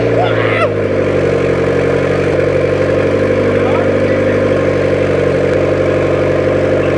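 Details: 1994 Honda Civic EX, newly rebuilt engine idling just after first start-up: even steady mid-pitched drone, no knocks or misses; smoke is handling oils burning off; normal idle.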